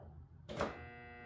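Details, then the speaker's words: Disc sander dropped off with no fault described. On power-up there is a switch click, then a steady low electrical hum for under a second with no spin-up. The motor hums but won't start; the switch, often clogged by sawdust, is checked first. "but it just hums."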